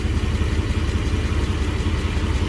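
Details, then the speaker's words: Car deliberately made to misfire in a catalytic converter lab: a low lumpy idle with uneven beats and stumbles, with the catalytic converter shaking; cat temperatures rose to about 250–260. "actually the cat's shaking a bit that's because the car is misfiring"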